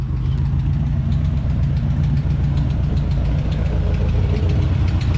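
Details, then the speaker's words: 1968 Ford F100 V8 idling after a rocker arm came off, with oil on the valve and slight smoke: a faint light tick in time with the engine over the low rumble; source unknown, owner suspects the exhaust. "i still don't know what this ticking is now i'm thinking it's something in the exhaust maybe you hear that ticking"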